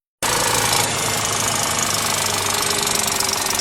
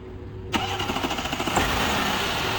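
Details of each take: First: VW Touareg EA837, rebuilt for oil burning in 2020, cold start: fast, bright, constant metallic rattle from chain slap caused by a broken factory timing chain tensioner guide; no oil consumption. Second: VW Touareg EA837 3.0T, rebuilt 2020, first cold start of the morning after tensioner repair with added preload spring and high-pressure fuel pump rebuild: short crank, slightly delayed catch, smooth even idle, no chain rattle.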